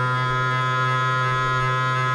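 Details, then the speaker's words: Cheap 500W air-cooled CNC spindle mounted in a CNC with a 6 mm end mill, speed test: loud droning hum with strong buzzing low tone at mid speed from resonance; fine at low rpm, vibration less bad at maximum speed. "so low rpm no problem here we're hitting some resonances"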